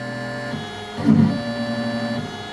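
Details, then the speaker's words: Inventables X-Carve stepper motor with the driver potentiometer set too high: the steady hum turns into a rough, stuttering buzz mid-move. Too much current causes thermal overload and lost steps; the fix is to dial the pot back a little at a time. "lost so I'm going to dial it back just a little bit and let it keep running and well it's still losing steps because thermal overload"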